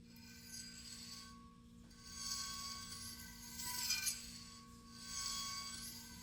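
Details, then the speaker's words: 2004 Lexus GX470 drum brake exposed with the tire off, wheel turned by hand: a slow rhythmic scraping squeak, about forty swells a minute, from a small stray spring lodged inside the drum; brake pads at 50–60%. "let me show you first that squeak and you will probably hear it very loud because it was now it's exposed and it was muffled by the druming here in the tire"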